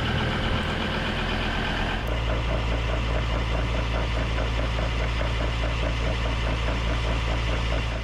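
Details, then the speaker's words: Ford PX Ranger, about 118,000 km, jacked up with wheels spinning in gear at idle: uneven rattling clatter under the idling engine, a driveline noise; later traced to damaged rear difflock actuator wires. "I decided I was going to jack up the car and run the wheels I wanted to see what noises I could hear first in two-wheel drive and then four-wheel drive I really didn't expect to hear this racket"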